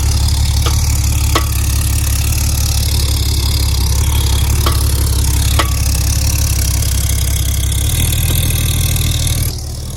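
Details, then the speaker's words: Porsche 964 911 Turbo after fuel pump replacement: deep, even idle with a strong low rumble that holds steady, only a few light clicks on top; flat-six sounds healthy. "yo she sounds good though hopefully the fire department doesn't come dude dang that thing sounds good though"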